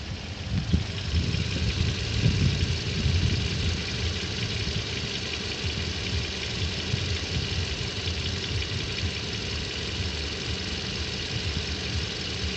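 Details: 2014 Toyota at 40,000 km: steady idle with a faint, uneven light knocking under the engine hum; dealer said it is normal, cause unclear; engine knock at idle.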